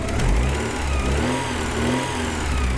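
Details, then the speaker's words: 1985 Porsche 944, off the road since 2013, first run after fuel pump work: engine revs and settles with a light quick ticking over the exhaust note; owner hopes an oil change may help; valvetrain ticking, cause unconfirmed. "Now, it is there is a bit of a ticking noise. I'll grant you that. I'm sure you can all hear it."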